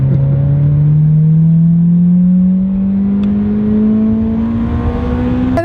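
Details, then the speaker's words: Toyota Corolla with Flowmaster aftermarket exhaust and upgraded, lowered suspension: deep loud exhaust note rising smoothly with revs, no leak or rasp; louder than standard but healthy. "Now, you don't have to have one this loud, but he's put Flowmasters on it, so it's louder than normal."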